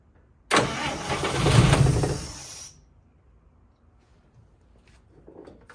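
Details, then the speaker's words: 1955 Chevy Two-Ten coupe parked 40 years, cranked without the jump pack: a couple of seconds of low steady starter churning, then it quits; cranks but no start. Owner suspects it isn't pulling any fuel. "yeah it's not full of fuel I don't think it's I don't think it's pulling any fuel"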